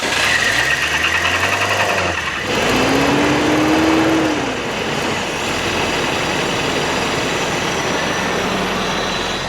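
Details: Toyota 4Runner left sitting for 10 years, after new plug wires, idling with the mass air flow sensor unplugged: fairly steady idle with an even patter and light whine, running better unplugged; owner suspects a faulty air flow sensor, not confirmed.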